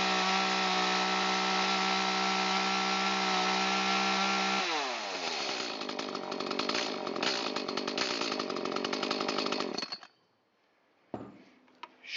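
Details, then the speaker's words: Echo CS-310 chainsaw after repair, which had bogged and misfired before: revs to a steady high full-throttle scream, wet at first then clean with slight burble, "on the pipe"; high-speed mixture set correctly. "come up to kind of a wet sounding full throttle, and after a few seconds it should clean up and still have a little bit of barble in it and be what's called on the pipe. So when you hear that, you know you've got it right."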